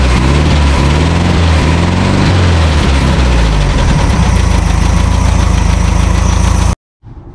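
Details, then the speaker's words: 1974 VW Super Beetle flat-four, sat 20 years in a field, first start after carburettor cleaning, oil not yet changed: rough idle with a light tick about four per second over the drone; owner unsure if normal; engine ticking at idle. "so it's running it's running decent but uh I really need to change the oil like like I said I'm not really used to these engines but it sounds a little a little Ticky or a little knocky"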